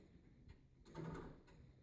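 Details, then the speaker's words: Grandfather (longcase) clock being set up, minute hand moved around: quiet mechanical shuffle, then one very slight, soft dull clunk as the clock selects the strike at the back; normal. "on this one it's very very slight what that is is the clock is actually selecting the strike at the back"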